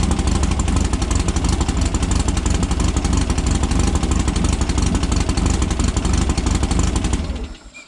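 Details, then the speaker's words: Cold start of a silver Volkswagen air-cooled dune car after a dune trip, following carburetor rebuild/new carburetor and new spark plugs to cure fuel dripping: lumpy but even idle, all cylinders firing, then shut off; much better than before. "Hear them all firing too, it sounds good. You hear them all firing too, it sounds good. That sounds way better than it was before."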